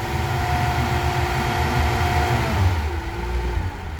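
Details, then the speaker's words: Mercury V6 outboard on a Boston Whaler 21, previously running rough, after replacing nearly three-year-old spark plugs: even unbroken drone through light throttle blips, no skips or stumbles; firing on all cylinders. "So this one's right on the line of 3 years. It sounds good now. Yeah, she's sitting on all of them."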